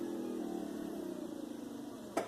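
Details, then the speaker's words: 1982–1992 Firebird F-body rear hatch pull-down motor after adjusting the striker: motor whirs and winds down, then a sharp click at end of travel shows the limit switch engaging properly. "hear that click click if you don't hear the click at the very end then that means that things too low and it's not allowing this trunk to engage that switch that I showed you guys earlier"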